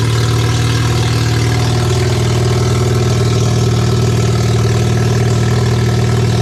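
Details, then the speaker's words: Barn-find RX7 12A rotary, sat for years, first run on its carb with an electric fuel pump (needle and seats suspected of flooding, small leak): smooth, even, deep burble with steady revs and no misses; healthy idle. "guys what an absolute great feeling to see some rotary Flames uh be deafened by rotary noises and um yeah the shop smells like rotary fumes"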